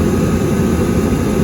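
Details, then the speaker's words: Hot water pressure washer oil burner, after checking the nozzle: steady, even roar with no popping, puffing or sputter, lit and firing cleanly; igniter shuts down after lighting, normal burner operation. "the igniter actually had shut down when it didn't light, and then it shut down again after it lit. So everything's working exactly the way it's supposed to."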